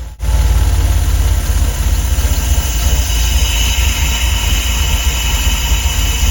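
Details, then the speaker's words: DeLorean DMC-12 with Bosch K-Jetronic injection, worsening starting and hunting; low idle repeatedly sags almost to stall and recovers, slowly improving as the engine warms. Hunting idle. "This oscillation of almost stalling will continue to repeat in a cycle, slowly improving as the engine comes to temperature."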